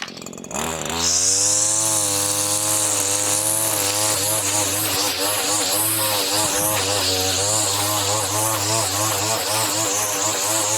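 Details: Two-stroke line trimmer fitted with an Arnetoli F-ONE head, line length adjusted one click in after it was slightly too long and laboring: steady, strong revving under load, line slicing grass cleanly with no bogging. Normal cutting.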